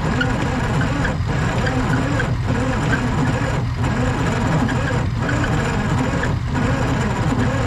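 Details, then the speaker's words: Diesel tow-behind roller compactor that sat about 30 years, three injectors with number one not getting fuel, cranked on ether: steady cranking with a lurch about every 1.25 s and one hard ping. No exhaust smoke, fuel starvation. "it is just not getting enough fuel no smoke coming out of that muffler while it's cranking like that means we're just not getting enough fuel into the cylinders"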